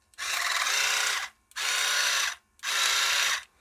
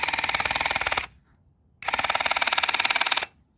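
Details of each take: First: Dental Mate water flosser pump after fixing its piston knock by cleaning and opening the pressure-release passage: three short bursts of steady high buzzing with clean starts and stops and no knock; pump healthy. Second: Dental Mate water flosser pump: bursts of fast, hard clattering knock (about 25 ticks a second) while the button is held; pump knocking, cause unconfirmed.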